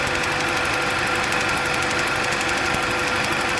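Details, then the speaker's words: 2007 Kia Sportage petrol engine idling after the customer washed the engine, with no fault codes: rapid ticking pulse with uneven rhythm, a misfire from water in a spark plug well; planned fix is removing the water and retrying. "there I'll tip off just laughs I see the ignition issue watching star take off the cloth and take out the water and try it again"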